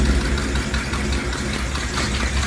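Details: 1965 Ford F-250 4x4 V8 after cracked exhaust manifold was welded and sealed with copper silicone and reinstalled: steady, deep idle with an even lope, no ticking or puffing from the manifold; exhaust sealed and healthy.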